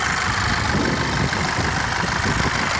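Steady warm idle with a faint, irregular light knock under the engine note; the knock is real but its source is still unknown.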